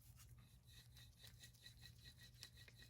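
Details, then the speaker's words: Worn front wheel bearing removed from a higher-mileage BMW E9x 335i, turned by hand; annoying at 70–80 mph in driving. Quiet dry rasping and gritty ticking from rough races, versus an almost silent new bearing; worn wheel bearing roughness. "Doesn't sound like a whole lot here, but at 70, 80 miles an hour, that starts to get annoying."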